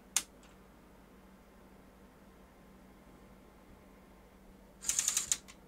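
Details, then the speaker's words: Sony Super Beta SL-HF600 Betamax VCR (NTSC, 711B2 deck), powered up from unlaced position: short click, pause, then rapid clattering ratchet burst as the loading mechanism overruns its end stop; suspected not seeing the unlaced end point reliably, cause unconfirmed. "why is it doing that but it doesn't keep going it's as though it's maybe not seeing this end point reliably"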